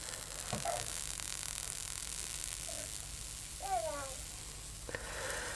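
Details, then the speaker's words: Drowned HPI Savage 21 nitro RC truck, glow starter on its original glow plug: a soft crackling sizzle with sharp hisses as water boils off the heated wet plug; the plug still works. "oh yeah i think it's going it just hissed at me it's got water on it look here we're burning it all off it's burning the water off"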